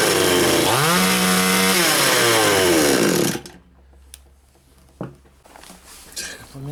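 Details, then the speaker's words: Chinese 45–52cc two-stroke chainsaw (4500/5200 class) after prior repair: revs sag, climb, sag and cut out after three seconds; carb adjustment doesn't help; lean bogging from air leak, faulty carburetor bottom gasket found. "заводиться робить робить робить робить нормально потом починає душиться на оборотах не хочеш крутиш карбюратора нічого не дає із травою вже вона не хоче робити"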